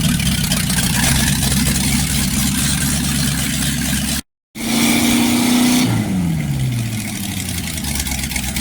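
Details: Fully rebuilt 1960s Chevy 327 V8 running for the first time with good oil pressure and no timing adjustment needed. Steady, even idle with a smooth low rumble and no knocks or misses.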